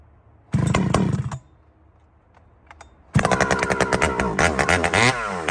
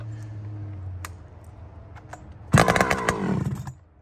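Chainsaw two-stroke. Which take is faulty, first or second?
second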